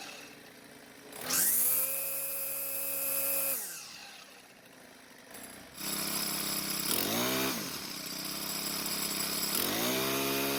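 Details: Four-stroke string trimmer, model 41EDT57C966, after repair of a hard cold start: a new part with stiffer plastic lets the flap seal better, plus a slight idle speed adjustment. It catches readily, rises to a clean even high whine and drops to a smooth idle. Normal start and run.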